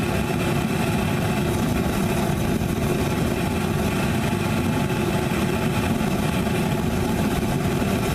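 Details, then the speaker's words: Homemade Frosty T burner with a big bell, regulator wide open at full pressure, air intake partly restricted: a loud, steady, even roar with no pulsing or sputter. The burner is stable and very hot from 2–3 ft away. "I mean I'm 2 3 ft away and I'm feeling that's hot stable you can hear it stable W stable"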